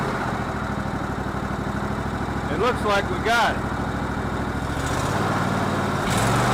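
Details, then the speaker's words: Cub Cadet LT1046 lawn tractor single that ran rough on old gas, after carburetor cleaning and reinstall: settles into an even, steady idle with no hunting or stumbling; normal running. "well that gas really shouldn't have been that old or not nasty but anyway it appears to be in better shape now"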